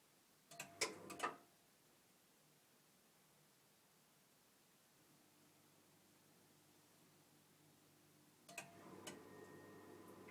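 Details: New Vaillant EcoTec Plus 824 gas boiler: sharp, loud faulty clicks, then a thump as it fires up into a steady fan hum.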